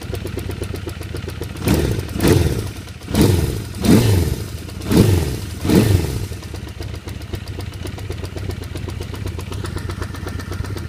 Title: 1978 Honda CB550K Ticking Noise